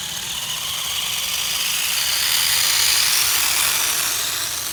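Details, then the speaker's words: HBX Transit RC rock crawler crawling under load, kept in low range because high range strips the gears: sharp metallic ratcheting clicks about four a second as teeth skip; pinion and spur gears nearly stripped. "all right so we're in a low range and I hear the gear skipping which is great [Music] and guys as you can see the gears in this thing are almost gone which is why I got to keep this thing in low range in order to drive anywhere because high range it just puts so much load on the gears it just wants to strip"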